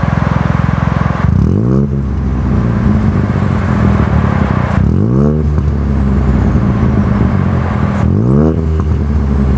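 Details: Ford Fiesta 1.0 EcoBoost with newly fitted Cobra Sport resonated exhaust, heat shield bent to stop knocking: three sharp blips from idle rising and falling cleanly, deep even tone, no rattles or blowing; normal exhaust note.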